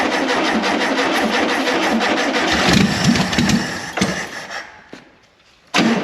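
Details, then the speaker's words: 1973 VW Super Beetle barn find sitting 17 years, running on a temporary fuel supply: flat-four chugs roughly for a few seconds, fades and dies, then bursts back; engine starts and runs after long storage. "I don't know if this fuel pump's gonna work but just to hear that it runs oh it's so great"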